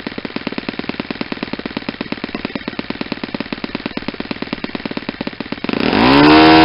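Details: Saito 50 four-stroke on its first run after a rebuild (new ring, new bearings), warm, APC 11x7 prop, Omega 10% fuel. A fast, even, crisp crackle at high revs, then a louder roar. The needle is leaned close to peak RPM and the exhaust smoke decreases.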